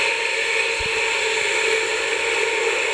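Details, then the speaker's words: Pedestal fan running with extreme noise: loud, steady high-pitched whirring hiss with whiny tones, louder with blade air friction; speeds and airflow fine; dry motor bushings lacking lubricant, fixed by cleaning and oiling bushings. "They listen, well now yes, that with the friction of the air and since what the blade is, the noise increases a little more."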